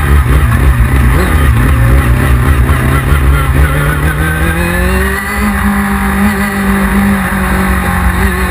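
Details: 1999 Yamaha R6 revving under way: ragged, stumbling exhaust beat as revs climb; engine misfiring, cause not yet known.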